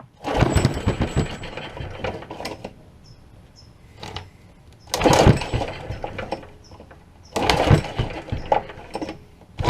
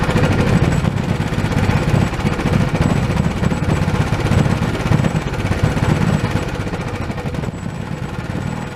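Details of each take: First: Old Honda pull-start engine, sat for years: three rough pull-cord bursts, spins but never fires without starting fluid; has spark and air but runs only on starting fluid, so not getting fuel; cranking, no start from fuel starvation. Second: Old Honda small single-cylinder pull-start engine, sat for years and not getting fuel, now repaired and reassembled with throttle reconnected: steady rough-edged idle with even low thumps, no misses; normal idle.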